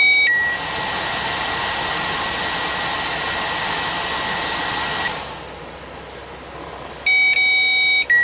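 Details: Peterbilt sleeper HVAC blower motor running (burned HVAC control module found): smooth, steady airy whoosh about five seconds, then spins down; no rubbing or scraping, air comes out cold. Normal blower operation.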